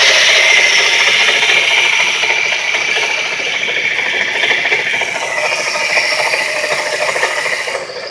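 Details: 130 amp alternator, about two years old with 20k miles: a harsh, fast ratcheting rattle of about three clicks a second over the running engine, progressively worsening, shown at its worst; crank pulley and tensioner suspected but ruled out; worn alternator bearings, replaced.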